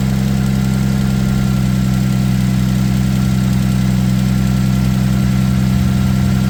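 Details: 2007 Ford Edge SEL AWD 3.5L V6 after replacing fuel injector #6 (open/short code, rough idle, flashing check engine light); smooth even low idle hum, no misfire, stumble or tick, injector pulsing felt: normal idle.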